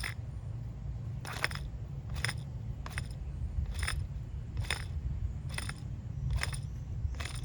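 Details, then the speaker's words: 2001 Dodge Ram V8 4x4 front wheel hub (non-ABS) spun by hand off the truck: low gritty rumble with a sharp crunching click about once a second, with substantial play; worn wheel bearing. "You can hear the bearing, and there's a substantial amount of play in there. You can see that. I don't know if you guys could see that on the video, but there is lots of play in there, and this wheel hub has gone bad."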